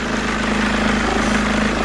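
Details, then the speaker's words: Mercedes W204 with a rough idle: steady low hum and droning tone over an unsettled idle, and a noise also appears when the steering is turned. Accessory drive noise is suspected from the tensioner pulley or alternator freewheel; the tensioner, freewheels and belt are to be replaced. "Das kann sein von dieser Freilauf oder Spandol oder Freilauf und Lichtmaschine rein."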